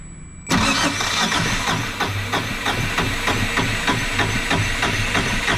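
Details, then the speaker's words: Yanmar 2GM20 marine diesel after refitting cleaned starter motor, battery 12.9 V: brisk, even cranking about three beats per second, no grinding or slipping; starter turns engine over healthily, though it later still fails to start. "so I'm going to turn the key now and hopefully we'll get an audible tone to tell me that everything's fine and whilst we hear that audible song hopefully like we don't smell any funky burning plastic smells here goes it's a good start"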